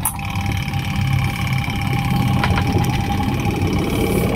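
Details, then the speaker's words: Midea washing machine spin-dryer that would not turn, tested after repair: steady motor hum with clear even tone, no dragging or stalling; spin motor runs, though it then failed to reverse, blamed on a faulty replacement capacitor. "Sudah bisa muter tadi, gak bisa balik."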